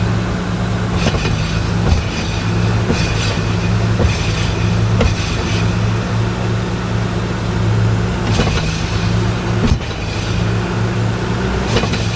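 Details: 1986 Nissan 300ZX, flooded by salt water in a hurricane, engine running and put in gear: intermittent dull thumps and clunks from the rear as the whole rear diff bounces; a broken diff mount or bushings is suspected.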